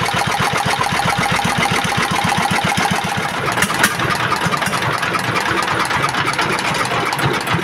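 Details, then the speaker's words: Single-cylinder S1125 diesel, previously knocking hard after running out of oil and being refilled, after repair: even, steady thump about four beats a second with no knock left, oil indicator good; normal idle. "Dan untuk suaranya sekarang sudah bagus, tidak ada suara notok-notoknya lagi."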